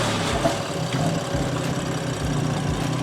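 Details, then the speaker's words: Modified 10-year-old BMW F82 M4 just after starting: uneven, wavering idle with revs dipping; owner suspected a belt or idler; car otherwise drives fine. "So the revs are slightly dropping when you start the car. I think it's either a belt or an idler."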